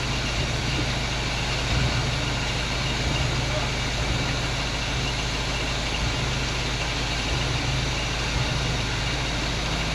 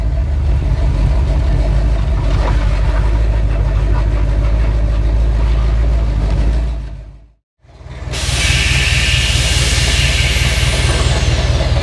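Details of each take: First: 1947 Chevy hot rod V8 stored and forgotten for years, first run out of storage: steady, even idle with smooth low rumble, no misses or stumbles, hitting on all eight; normal idle. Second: 1947 Chevy hot rod on airbags, stored and forgotten for years, first drive back out; loud, uneven V8 rumble with a lumpy, unsteady beat that drops out and returns. Brakes seemed to drag; it runs badly, cause not yet known.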